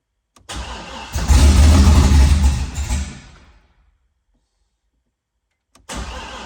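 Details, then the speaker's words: Car after transmission-area reassembly, fuel pump ground disconnected so pump not running, oil pressure building: engine catches with a rough uneven chug, flares a couple of seconds, then dies; starving for fuel. "So that ground right there wasn't hooked up, and the fuel pump wasn't kicking on, but it was running. You heard it chugging along."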